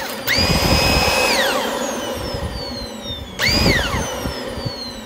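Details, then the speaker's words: Dyson DC25 with roller not spinning: after turning it by hand a few times, the motor whines up to a steady high pitch, coasts down and spins up cleanly, no grinding; brush roll working perfectly. "what I did was I just put my hand in there from the bottom and uh turn it around few times and uh then turn it on and it starts to work so let me show it to you"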